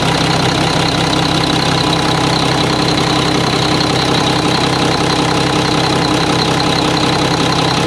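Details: Mack truck diesel engine just reassembled, first start before road test; fluids checked, no leaks seen. Steady even idle, regular clatter at constant speed, no misses or knocks; sounds good, normal idle.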